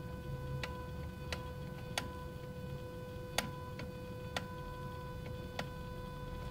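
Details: Audi A3 1.8T 150HP, engine off, ignition on: sharp irregular clicks about once a second over electrical hum, stopping after a while and varying when throttle is pressed; from below the engine, unrelated to xenon units.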